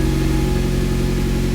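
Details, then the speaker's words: Mitsubishi Evo X engine, first start after sitting over 10 years: it starts right up into a steady, even low idle with no knocks or misses, and the check engine light goes off. "starts right up is off check engine light went off"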